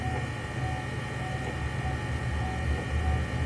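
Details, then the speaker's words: Windshield wiper motor, removed and run alone on the switch in second mode with the linkage disconnected (the linkage locks up and grinds when connected): steady low hum with a faint even whine, no knocks or grinding, running normally. "Alright, I don't see nothing wrong at all with this, and the motor seems to run."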